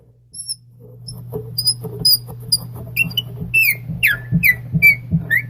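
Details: Hand-threading a bottle stopper in a pre-drilled 3/4-inch-deep hole. The dry tap, with no wax or lubricant on the threads, gives short, irregular high squeaks about every half second as it turns; dry tap squeak.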